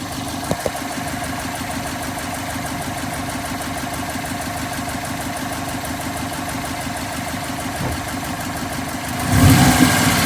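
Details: 2012 Subaru WRX idling with a steady, even quick tick, roughly three per second; owner unsure whether it is a spun rod bearing or just valve chatter.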